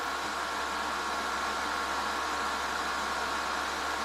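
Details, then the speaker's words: Warning Pro PC100 wine chiller (12 V, 5 A) just started: a steady, airy, loud whoosh with a hissing edge and no knocks or pitch changes. Its cooling fan is running normally but noisily. "it's it's pretty noisy inside of it so say you got a little party going on and you want to keep the wine chilled"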